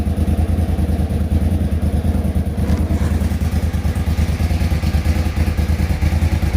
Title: Suzuki TL1000R start up and walk around after fixing a misfire at idle.